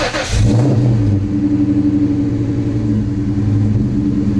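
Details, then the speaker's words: Ford Mustang GT V8 after smoking on hard pulls, antifreeze just refilled, idling to circulate coolant: a blip of revs settles into a strong, even burble with no misses, knocks or rattles. Normal revving, with no hose leaks seen. "right that sounds good that sounds good"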